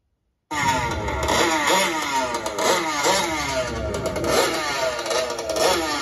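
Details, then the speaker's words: Fifth-scale RC two-stroke engine, carburetor high-end needle set too lean, held at full throttle: screaming pitch surging and dipping every half second as it starves and cuts out; super lean condition, engine would not last without richening. "right now listen to this right here that is a lean condition right there let me uh rewind it and play it again that is a that is a super lean condition right there"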